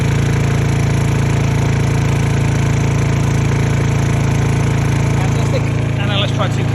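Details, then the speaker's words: Honda EU2000i (EU20i) generator, after a stale-fuel rough-idle fix, running under about 500 W and more electrical load; steady, even hum holding speed, no hunting or misfire. Healthy running under load. "Pretty happy, doesn't it? That's about 500 W. Turn off 500. 4 kilow. Run a bit harder."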